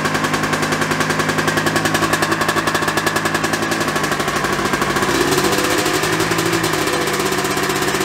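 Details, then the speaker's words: 1987 Yamaha Exciter 570 two-stroke snowmobile, sat about 13 years, started on electric start with choke. It starts right up into crisp, even, steady fast popping with no stumbles or surges. Normal idle. "let's see if the battery will do it yeah it starts right up idle's nice"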